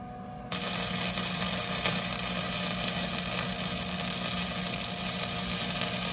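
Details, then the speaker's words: Flux core welder, trigger held continuously while pulling a straight bead: steady, even frying-bacon crackle with no pops or sputtering breaks; stable arc laying a good weld. "So I'm gonna pull and hold this trigger the whole time as I'm doing this, okay?"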